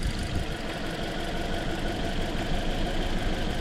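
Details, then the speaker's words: 2013 Toyota Corolla with intermittent misfire and check-engine light for about a year (plugs, coils, injectors reportedly replaced): lumpy, uneven idle with irregular stumble; the misfire moved with the coil swap from cylinder 2 to 1, confirming a bad ignition coil. "Yeah, it moved. See, we're still on 2, the missing one's on 1. It's a bad coil."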